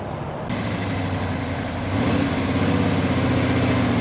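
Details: Rebuilt 1971 Chevy Camaro big block V8, under 100 miles, 650 double pumper carburetor with air cleaner off: steady low burble with even lope firming slightly as it warms, no ticks or misses; healthy idle.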